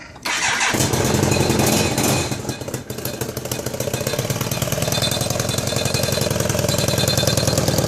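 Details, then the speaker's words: 1999 BMW K1200RS, noise and backfiring on a long ride: engine catches and settles into fast, sharp ticking puffs at each firing pulse; exhaust leak with the #4 exhaust tube loose and rattling against the manifold port. "so it doesn't take a rocket scientist figure out that's where the exhaust leak and the noise and the backfiring is coming from"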